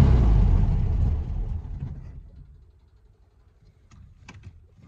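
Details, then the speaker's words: 1974 VW Beetle, first start after five years out of service, possible battery ground connection issues, electric choke part open: roars when held on throttle, then sags and fades toward stalling; won't idle unless revved. "still not wanting to really idle but if I keep it revved up a little bit it runs"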